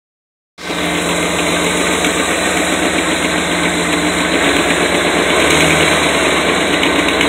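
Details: Sharp regular puffing tick, about four a second at idle over the engine hum, quickening with revs; exhaust leak. Engine warming, good oil pressure, but not charging (owner suspects something unhooked).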